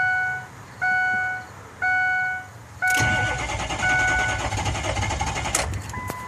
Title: 6.0 no start